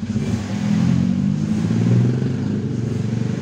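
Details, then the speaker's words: Ex-taxi Toyota Vios Limo Gen3 after engine flush and new air filter, warming from 60 toward normal 80 degrees, faulty radiator temperature switch suspected: revs pick up cleanly and feel light, pitch rising and falling smoothly with no misses; healthy revving. "Tapi ini enak banget ngegasnya teman-teman. Hampang jadinya. Ringan banget ya teman-teman."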